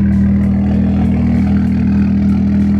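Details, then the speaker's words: BMW 335i (E92) on stock map after misfire codes were cleared, all injectors plugged in; smooth, even idle with steady low hum and no stumble, sounds normal; faulty coil packs suspected as the earlier misfire cause. "sounds normal I made sure all the injectors are plugged in"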